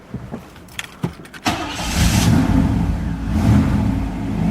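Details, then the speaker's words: Florida wagon with a new battery after starting trouble: after failed catches it idles rough, speed hunting up and down; owner suspects a stuck IAC valve needing reset; muffler rusted through. "maybe the IAC valve was stuck this thing is falling apart Florida car saw it here first it's running rough now"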